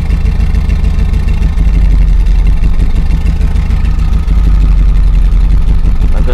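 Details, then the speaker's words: 2000 Chevrolet Silverado 5.3L LM7 turbo after a cam swap to Summit SUM-8701, idle being tuned: heavy, lumpy, loping rumble that holds fairly steady in park; acceptable idle in park, but it barely runs in gear. "so what idles okay in park but obviously I'm gonna need a way bigger for this number here"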